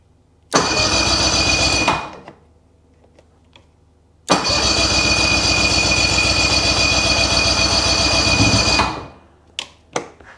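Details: 2010 Ski-Doo 800R snowmobile, start attempt after clearing fault codes with a CANdo Pro connected (owner suspects it may need disconnecting). Two cranking bursts, about one and four seconds, never catching; cranks but won't start, cause unconfirmed.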